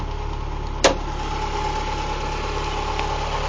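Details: 1991 Mazda Miata MX-5, all-stock engine, recorded under the hood after a short drive in light rain: smooth, even idle with a steady low hum, no knocks or misses apart from one brief click; owner says it runs and drives very well.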